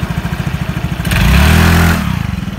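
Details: Yamaha Mio J/Exride 115cc scooter after replacing the slipping CVT part blamed for weak pull and poor hill climbing: even idle pulses, a clean smooth rev and a steady idle, belt drive pulling without slip or rattle.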